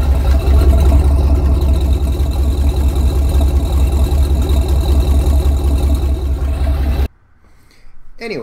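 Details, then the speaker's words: 1994 Ford Bronco with a broken-in MABBCO 351W short block, estimated about 325 hp: deep, steady, smooth idle at about 600 rpm with no knocks or misses. "it idles really nice about 600"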